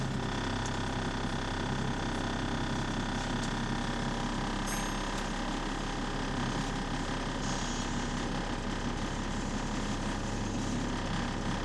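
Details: Onboard bus AL DW486 on route 144 with an exhaust leak: a steady diesel drone with a faint, uneven ratchet-like tick, about three a second.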